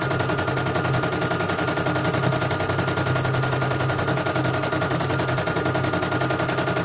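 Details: CNY E900 embroidery machine after dynamo (motor) replacement and sensor test: fast, even needle-stroke clatter with steady hum underneath, no skipped stitches; runs cleanly with no fault.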